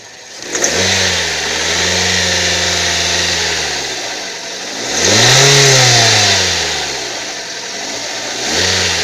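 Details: 2008 Hyundai Tucson 2.0, hot engine: a harsh metallic ringing appears when revving through about 3,500–3,800 rpm, as the engine revs up and falls back twice. The owner is asking for help finding the source, which is not pinned down.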